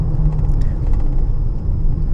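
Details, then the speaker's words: 2014/2015 Honda Pilot with 64,000 miles, from the cabin at 25–40 mph: deep, steady airplane-like whining growl, louder when turning left. A worn wheel bearing is suspected over the VTM transfer case. "this one have 64 000 miles only so 25 30 40 you can hear the whining sound the airplane"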